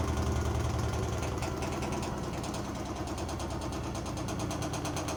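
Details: Blomberg washing machine during the spin cycle: a loud, rough rumble with fast steady pulsing. The cause is not pinned down, and a warranty repair was requested.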